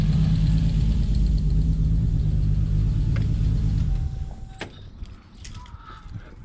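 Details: Toyota Supra petrol engine idling with the belt off: a faint, regular tick about three a second, then it shuts off; a bearing was suspected, but the ticking persists with the belt off, so the cause remains unknown.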